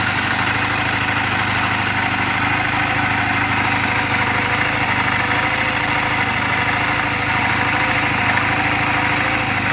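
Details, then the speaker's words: 2007 Honda Rebel 250 idling after the owner's own valve clearance adjustment, offered as a reference for others checking theirs; steady, even putter over a constant high hiss, no misses or stray knocks. Normal idle. "after I did a valve clearance I was wondering if I had done it rights I wanted to compare that what my motorcycle sounded like compared to other people's motorcycle"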